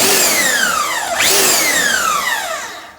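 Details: Dewalt bandsaw on a swag table, switched by foot pedal, whirs up with a whine that slides in pitch, then runs evenly with no knock or grind; normal healthy running.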